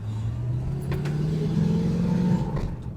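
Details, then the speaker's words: 1973 Ford Maverick test-driven after five years in storage. It pulls with a rising drone, then falters and sags near the top as if starved of fuel. Engine stumble under acceleration; timing or a sticking accelerator pump suspected, unconfirmed. "Yeah, it it's it's starved for something, that's for sure."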